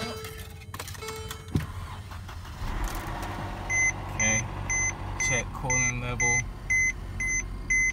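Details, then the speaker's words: Front-end-damaged car at a Copart auction with 88,000 miles and hood damage only: cranks briefly, catches cleanly and settles to an even, healthy idle under a door chime. "running pretty decent I don't want to run it too long but you can see like it runs good it sounds good at least"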